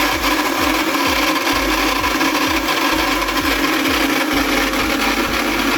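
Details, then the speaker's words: ARSHIA Turbo Force 3000 meat grinder switched on makes a loud harsh grinding over the motor hum, with a rough pulse about twice a second, traced to the gearbox. Gearbox grinding from dry gears. "When I turn it on, it makes a loud strange noise."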